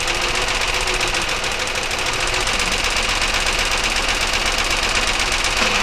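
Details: 1999 Chevy Malibu 3100 V6 at idle during a cylinder drop test, plug wires pulled one at a time: a sharp, steady, persistent knock at about four taps a second. Internal engine knock, source not yet pinned down.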